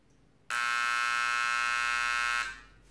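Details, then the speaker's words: Five-year-old KRK Rokit 6 powered speaker with only the power cord plugged in: harsh, really loud buzz after a power outage, versus a slight buzz from the other; several bulging power-supply capacitors found, to be replaced. "so here are the two speakers and you can see I turn this on and you should probably hear solo little buzz and this one here's loud really loud"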